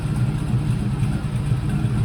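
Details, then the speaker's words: 2019 Silverado V8 with a smaller Jam performance cam after a retune, settling from start-up to idle: deep steady rumble with slight cam lope, no knocks or ticks, great oil pressure; runs well. "yeah no no she she's runs real good it's got great oil pressure really happy with how this truck turned out"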